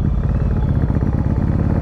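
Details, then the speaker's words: Yamaha Virago 1100 V-twin, rear cylinder dropping out at low revs, owner suspects fuel-related, later found failed carburettor float valve; lumpy uneven idle running on one cylinder, rear cutting in when revved, a misfire. "yeah this is back to one and then when i revvy up and then the second the rear kicks in as well"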